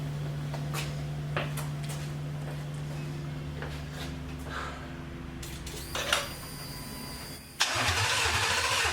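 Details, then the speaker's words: 1979 Ford Bronco with a 2020 Gen3 Coyote swap, first test fire with fuel from a bucket via a 2001 Ford Escort fuel pump and no coolant: steady cranking with a brief catch that almost fires, then dies. It likely starved for fuel, as there was little gas in the bucket. "almost had something not very much gas in that bucket"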